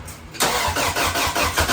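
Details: Built turbo Acura Integra Honda B-series engine with 1000cc injectors on a base map: first start after the valve lash was adjusted on the fresh machine-shop build. It catches at once and runs with a quick, fairly even firing pulse; a clean start.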